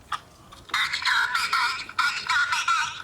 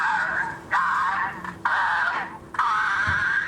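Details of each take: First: Toy Silver Dalek voice box after motor cleaning, bearing oiling, reassembly and fresh batteries: short bursts of clear robotic voice at steady speed, no dragging or warble; normal voice playback. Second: Vintage Dr Who Dalek toy voice box after its motor bearings were cleaned and re-oiled, running on batteries. It gives drawn-out, warbling voice phrases with sagging, wavering pitch because the motor runs too slow, producing a distorted "possessed" playback.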